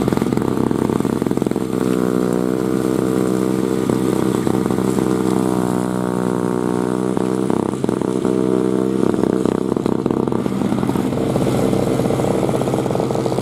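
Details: 2003 Murray single-stage two-stroke snow blower, first run in 5 years, clearing snow: a buzzy note that rises and dips as the load changes and pulls cleanly without misfiring; normal running under load.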